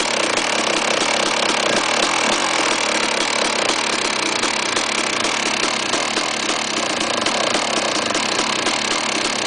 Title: KTM 380 SMR BAD Engine noise